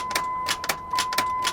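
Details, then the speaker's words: Truck with 144,000 miles, jump-started: sharp dry clicks about three a second but the engine never turns over; starter clicking with no crank, non-runner, cause not confirmed. "I mean the starter was doing its job you could hear the starter clicking but it sure wasn't turning anything over was it"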